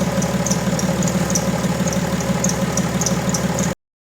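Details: BMW E90 325d/330d M57 diesel at idle, complaint worse when cold: steady diesel clatter with short, sharp high chirps at irregular intervals from the accessory drive belt. A stethoscope check was inconclusive, so a water test on the belt follows.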